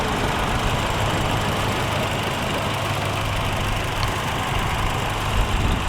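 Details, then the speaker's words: 2013 Toyota Kijang Innova G, 2000cc petrol, automatic, idling after start-up: a steady, even idle with a smooth hum and no knocks or ticks; engine sounds normal and healthy. "Jadi di sini suara mobilnya bisa kalian dengar kalau suaranya itu normal. Jadi untuk mesinnya dia nggak ada masalah ya, suaranya nggak ada suara-suara aneh."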